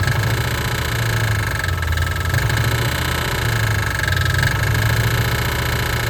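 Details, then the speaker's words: 1988 Mustang GT 5.0 V8, carbureted swap with Duraspark, just reassembled after lifter replacement: steady idle with rough uneven low thump; knock remains after changing the lifter, cause unknown, owner considers replacing all lifters. "I swear it's like it's like a bear. It sounds weird. I don't know. I'm not an engine guy. But I just knew that the lifter was gonna be it."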